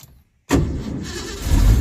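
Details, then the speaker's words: 1982 Ford Mustang GT (Fox body) that won't restart when warm, cooled off about 30–40 minutes: brief quick crank, catches immediately into smooth idle; starter sounds brand new when cool. "oh yeah see starter sounds brand new when everything's cool fires right up"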